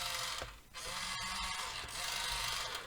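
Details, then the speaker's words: 1:28 scale RC wheel loader (Rui Chang QY2302): harsh high-pitched buzzing whir dipping and returning as the cheap plastic toy gear motors start and stop; typical noisy toy motors, as expected, nothing wrong. "like very noisy it's obviously cheap plastic you know general toy sort of motors it's not surprising about that at all if it's what you would expect"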